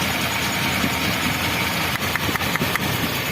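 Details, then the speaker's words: Toyota Kijang 2000 with 1RZ 2.0 L engine, lacking power: idle stumbles with irregular drops. Pulling the cylinder 4 plug lead changes nothing while pulling another worsens it; spark present, so low or leaking compression in cylinder 4 causes the misfire. "Suara apinya ada kan, tek, artinya sistem pengapian atau kabelnya itu keluar apinya gitu. Tapi kompresinya nggak ada ataupun kurang gitu."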